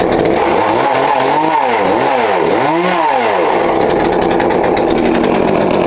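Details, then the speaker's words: Poulan Pro 42cc chainsaw, after turning the carb low screw in slightly: quick blips, then a clean steady high rev with no bogging. Healthy. "There you go, guys. I adjust that screw a little bit. As you can see, it's still sound a little up just a little bit more."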